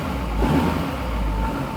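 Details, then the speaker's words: First fire of freshly built LBZ Duramax diesel (1000hp build) in a Camaro: deep even rumble, slight rev rise, no knocks or misses, ground shaking; new engine running clean and normal. "Oh yeah, she's coughing. Woo! That sounds crispy. Ooh, feel it in the ground? Feel the ground? Yeah. Yeah, you can feel the ground shaking."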